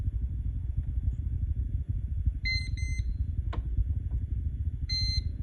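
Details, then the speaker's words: Newly bought Klein Tools voltage tester working normally with beep turned on: short, high double-pitched chirps over a low vehicle rumble; owner suspects cold weather affected the battery when it only lit red without beeping. "right there once you hear that it'll work it'll it'll sound"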